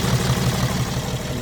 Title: BMW X6 turbo and have misfires because of injectors 👍